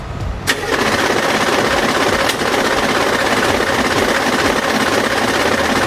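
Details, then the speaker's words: Humvee bought cheaply at government auction, on a long drive home: harsh, uneven starter cranking with rough clattering and grinding heard in the starter; the flex plate has sheared again. "The flex plate is sheared again."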